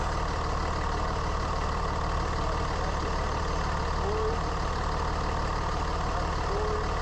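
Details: 3rd gen Ram Cummins diesel at steady idle, faint howl/whine over engine clatter, same on hot or cold days; owner first suspected turbo or fan clutch, traced with stethoscope to a bad alternator bearing.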